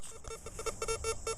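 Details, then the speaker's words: CF77 metal detector with 9-inch coil run hot (sensitivity high, ground setting low) for extra depth: erratic mid-pitched beeps stutter on and off with no target, chatter traded for 10–11 inch depth. "and you're going to get some crazy depth on this thing I mean it's it's deep but you got to be willing to listen to this chatter"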